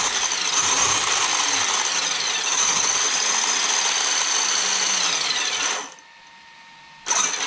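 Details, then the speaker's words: Traxxas X-Maxx 8S RTR RC truck after motor bearing repair, pinion and spur lightly greased with chipped teeth, checking mesh and slop; sharp raspy high whine while drivetrain runs, stopping when it stops; gear mesh noise. "really noisy i want to look at uh see how much bite i got just want to make sure that uh that i got the settings right on the pins and there is slop"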